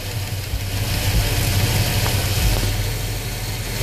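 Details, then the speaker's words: 350 V8 in a truck at idle: lumpy idle with a light uneven ticking about three or four a second from loose rocker valve lash; after adjusting each rocker a quarter turn the tapping stopped. "I'mma go through and check the other ones just be sa y'all hear it tapping be careful hear it"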